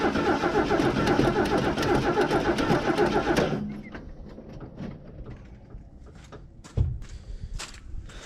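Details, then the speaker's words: Mercury Comet barn find back from winter storage, cold start at 37°F with fuel poured down the carb vent tube; fast cranking catches briefly, stumbles and dies as the carb hasn't picked up gas yet: fuel starvation. "all right it hasn't quite picked up gas yet I'm going to give it uh a little bit too much try to get down the vent tube hear that thing choke it down"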